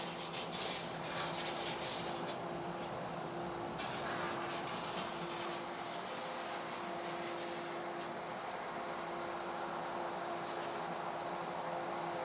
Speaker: During this priming cycle here where the pumps are running at high speed, there's so much irration of the water happening in my test tank that you can see it and hear it in the pumps here. But this is a function of this being a tiny test tank and not an actual swimming pool or hot tub.